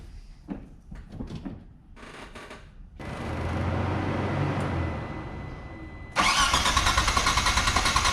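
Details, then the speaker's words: Mitsubishi 3000GT VR-4 after new AEM fuel pressure regulator, gauge and fuel pump install: long starter whir, then engine catches into steady pulsing run; no fuel pressure reported, fault not audible. "there's no fuel pressure there's no fuel pressure I don't know it"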